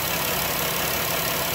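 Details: Chrysler 3.6 Pentastar V6 van after repair of a rear-bank (bank one) tick caused by a failed rocker arm: camshaft, all rocker arms and the affected lifter replaced. Steady, even idle with a smooth hum and no tick or tap from either bank; healthy.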